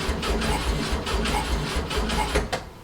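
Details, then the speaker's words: 1967 VW Fastback (air-cooled) that keeps frying ignition modules, cranked after refitting the ignition with the battery on charge: starter churns evenly at four to five compressions a second but never catches, with no spark getting through. "all right she's not starting all right shoot a little bit of this in there and see if that helps least get to just cough"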